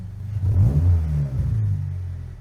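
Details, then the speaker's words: 2025 Toyota GR86 with HKS single-exit exhaust and a newly fitted JDL front pipe and overpipe, recorded beside the exhaust: a deep, boomy rumble swells on a blip to about 2000 rpm and settles back; an exhaust leak is audible. "You can hear the leak it go when you try to shut off the car."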